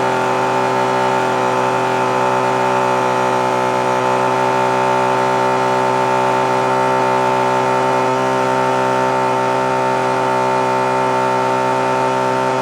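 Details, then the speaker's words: Puch moped after carburetor reassembly: high steady buzzing note that holds flat and never climbs to a full scream, no bog; not revving out fully, suspected running a little too rich, needle pin to be lowered. "so it actually sounds like it might be a little too rich you can kind of hear it doesn't want to just quite scream all the way"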